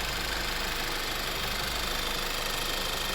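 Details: VW/Audi 1.8 engine after repair: smooth, even idle with only a light valvetrain tick and no knock; the earlier knocking "ka-ka" noise, caused by a sludge-stuck camshaft 3-position 4-way oil pressure control valve, is gone after cleaning.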